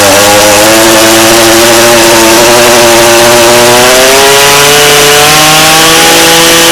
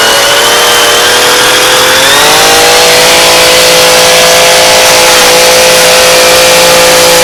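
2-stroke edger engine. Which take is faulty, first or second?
first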